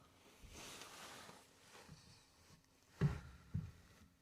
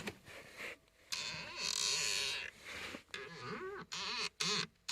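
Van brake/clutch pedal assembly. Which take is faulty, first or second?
second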